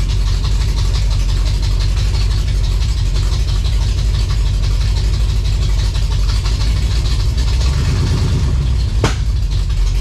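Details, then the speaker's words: 1956 Chevy V8 hot rod, fresh timing set, first runs after revival, high-stall converter; loud, lumpy idle with a deep uneven thump that stumbles now and then; owner hears a definite miss, cause not confirmed. "while she runs uh sounds like it's got a miss for sure so that's a bit of a concern"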